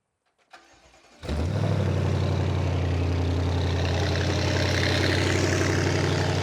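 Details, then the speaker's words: BMW N63 twin-turbo V8 after catalysts removed and downpipes fitted, started to check joints: catches quickly into a deep, steady, even idle with no puffing or ticking at the joints; no leaks, bolts tight. "არაფერს არ ეპარება, ყველაფერი კარგად არი. რა მაგარი ხლა კარგი ხმა აქ, მაგრამ მეშვიდე სერიას არ უხდება ესეთი ხმა"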